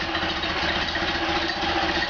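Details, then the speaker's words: Freshly rebuilt stock Ford Model A engine (NOS Tilly carb, FSI Zipper distributor, Bill Stipe B 330 cam, matched DMC crank and timing gear) idling on a stand with exhaust on a jack stand: smooth, even idle with a steady low drone, no knocks or misses, very little vibration; normal. "Alright, sounds good. And very little vibration. Okay, I think we're happy."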